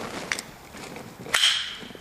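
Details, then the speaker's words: Latch just fitted with its screw driven in at an angle on the radius, before the clasp cushion is installed: sharp metallic snaps as it locks, then a brief loose jingle; rattle when closing, which the cushion is meant to cure. "Oh, you can hear it. There's a rattle to it now. Little rattle there."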